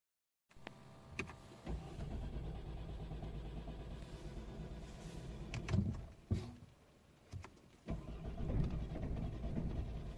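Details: Ford with codes P02FA:84-2F and P02FA:00-2F (intake air flow position sensor min/max stop performance): engine fires, runs roughly a few seconds and dies, repeated short tries; broken throttle body actuator causes no start or start-and-stall.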